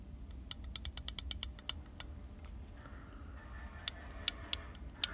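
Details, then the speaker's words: Used GMB water pump (about 40,000 km) for a Lada Vesta, no axial play, turned by hand: light, sharp clicks with free play at the pulley and rattling inside; a knock when turned by hand, cause unclear, owner unsure if normal. "поэтому даже не знаю должно быть так или нет стучит прям сильно"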